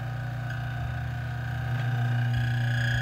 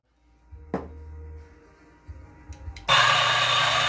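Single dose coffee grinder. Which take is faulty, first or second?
first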